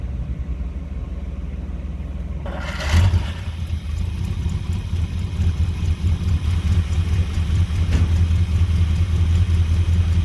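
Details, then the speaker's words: 1980 Chevrolet C30 dually, straight-piped with the mufflers rusted out, cold start after a new fuel pump and fuel filter: a short crank, then it catches at once and settles into a steady, even, deep idle, running perfect. "This is also a cold start. You see that immediately fills up. It's running perfect."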